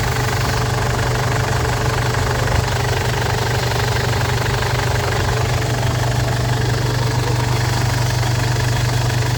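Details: Ford Everest diesel after a no-start repair with a new timing belt, glow plugs and rocker arms: steady low idle with an even clatter at about three beats per second and no misses. Engine is running normally.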